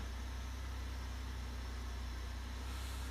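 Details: Buick idling, no longer sounding like a loud dragster: quiet, even low hum with no loud exhaust roar; normal idle.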